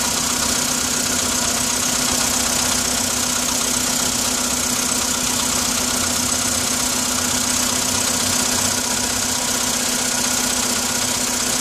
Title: Стук на холодную